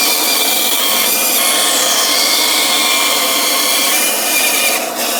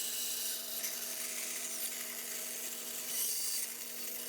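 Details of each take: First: 1930s 36-inch Oliver bandsaw resawing a board to thickness against a clamped straight-board fence: steady hissing rasp of the blade feeding through the board, even throughout, then the cut ends abruptly; cutting normally. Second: Bandsaw cutting a tight inside curve: steady motor hum under a harsh, rising hiss as pressure goes onto the blade while turning; blade binding in the curve, fixed by backing off and attacking at a different angle.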